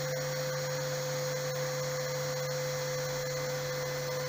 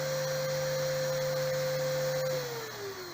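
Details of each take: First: RO plant digital panel: after raising the raw water pump current setting from 0.5 to 1 ampere, the pump motor hums steadily and runs continuously with no overload trip, confirming the load setting is correct. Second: RO plant raw water pump on a digital panel in manual mode, overcurrent set at 0.5 A: motor hums, then cuts out with beeping as the panel trips; current limit too low for the load.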